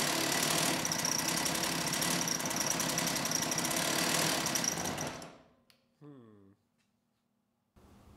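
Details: STIHL 028 AV Super chainsaw, rebuilt with non-OEM parts after being run on straight gas: high raspy buzz with a fast, uneven beat before cutting off, running lean; opening the low-speed jet a bit made it sound better.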